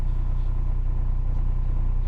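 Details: Renault Scenic 3, M9R 2.0 dCi diesel at idle after starter replacement (old starter had worn brushes): steady, even low rumble with no misses, knocks or rattles; normal idle.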